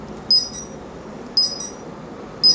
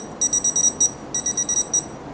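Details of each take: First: Smart Dog in-ground pet fence transmitter: a sharp high beep repeats about once a second, steady and regular, signalling a wire break because the boundary wire loop is open and not yet a closed circuit. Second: Smart Dog in-ground pet fence collar receiver checked with a tester near the boundary wire: a dozen sharp, high, quick beeps in two bursts with the light on as the correction shock is delivered; working properly.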